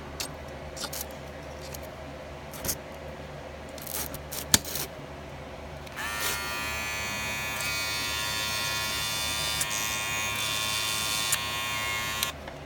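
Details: Wahl clipper with premium red guards after bending the guard to stop rattling: a steady, even high buzz with no rattle from the guard; it sounds quiet and healthy.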